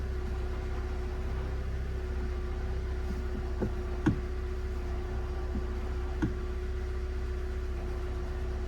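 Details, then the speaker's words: Ford Ka 1.2, 73,000 miles, engine ticking over: steady whirring with scattered clunks as the clutch pedal is pumped up and down, quiet when held down; worn clutch release bearing making a racket. "That's obviously the release bearing inside part of the clutch. It's making a complete racket."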